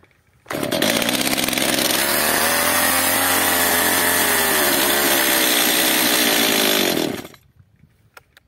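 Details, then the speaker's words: Stihl MS 230 chainsaw (also described as an MS 250), first start after a failed owner repair. It buzzes high and ragged for about six seconds, then dies as if running out of fuel. Suspected carburetor problem or air leak, not confirmed. "odpala Ewidentnie ma mało paliwa gaśnie lub napracowanie problem z gazikiem lub z nieszczelnością"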